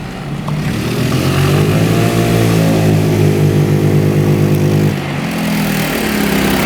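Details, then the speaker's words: 2017 Tao Tao scooter, small four-stroke: picks up cleanly, revs rise and fall smoothly with no knocks or misses; runs healthy. "Wow, listen to that baby. Sounds good. What a dream."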